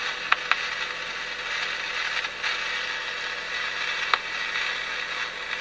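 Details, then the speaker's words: Emerson 336 tube radio after restoration, powered through a surge-limiting setup: steady hiss with sharp irregular pops and crackles; suspected silver mica capacitor disease, not confirmed. "getting pops and crackles"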